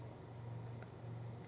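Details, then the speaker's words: Car with an engine vibration problem, idling with the AC off and a water-glass test on the steering wheel. Low, even hum with no knocks, rattles or shudder; the engine sits smooth and quiet. "வேற லெவலில் சைலண்ட்டாக இருக்குதுங்க. ஏன் car தானா அப்படின்னு எனக்கே டவுட்டாக இருக்குது."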